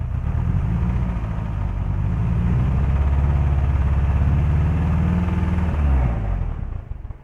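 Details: Toyota Vios 1NZ engine: low, lumpy thrum with an uneven stumbling beat through a brief rev and back down, not running on all cylinders; ignition misfire causing a lean mixture, engine light on.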